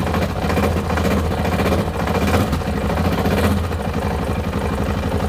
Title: Tenere XT660Z Engine Knock